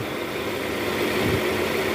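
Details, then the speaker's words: 2010 Toyota Camry, 2AZ engine, after balancer shaft replacement, idling in reverse with AC on: smooth, even idle, steady low hum, no clicks or rattles; before repair it clicked and sounded rough once shifted to R. "Ini di posisi R. Ya, AC menyala. Persneling di posisi R. Sekarang tidak ada suara sama sekali, teman-teman."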